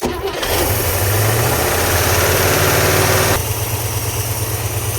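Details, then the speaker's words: International Scout sitting 18 years, after fuel pump replacement (immediately spraying fuel): catches within a second, revs briefly, settles to a steady even idle, a little smoky, carburetor squirters working — normal start and idle. "She's a little She's a little smoky, but look at that. The squirters are squirting."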